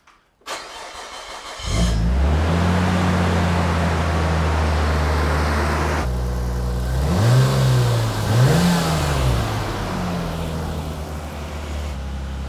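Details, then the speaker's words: 1998 Nissan R34 Skyline GTR, cold start after reassembling the cleaned IACV with sealant, before warm-up: starts cleanly, steady but fast idle about 1100 rpm with a couple of blips, too high though stable. "all right so that's idling at about 1100 RPM at the moment which is way too high but at least it's stable"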